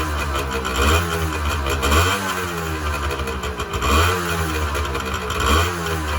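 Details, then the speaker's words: 1986 Honda NS400R 400cc two-stroke triple after 11 months standing, run on choke to empty the carbs for storage: ragged burble surging and sagging about every second and a half as it starves; stumbling as carburettors run dry. "starting to run out of fuel now run on choke for a minute get the last of the fuel out of those carbs"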